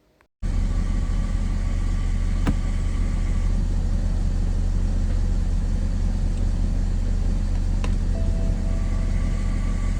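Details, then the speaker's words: BMW 330xd, ZF 6HP automatic just refilled after fluid and sleeve change, running through gears: steady low drone with a faint tonal whine from the gearbox because it was overdrained and underfilled; fix is topping up until fluid reaches the fill hole. "And because I drained a little bit more oil than you would normally do, the filled capacity wasn't enough and my car was making this"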